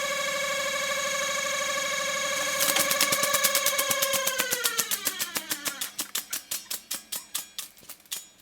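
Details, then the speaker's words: Technics RS1500 reel-to-reel tape deck during service: noisy rewind, a steady whine with quick regular ticking slowing as reels wind down and a squeak; owner suspects the brake band, something rubbing, or a dry bearing, unconfirmed. "rather a noisy rewind might be the brake band uh not"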